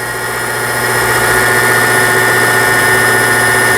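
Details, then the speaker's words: Toyota CB03K household sewing machine (vertical hook, made 2006 in Hangzhou, China), fully disassembled and repaired, winding white thread onto the bobbin: steady even motor hum with a fine high tone, no knocks or catches; normal bobbin winding. "지금 북실이 감겨서 돌면서 감기고 있죠. 이런 식으로 흰색 실을 감아주고 있습니다."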